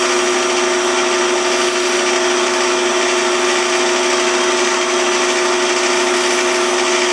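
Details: Pattern-making lathe turning a shortened small wood workpiece: steady, even whir with no chatter or wobbling beat; the piece spins smoothly and true.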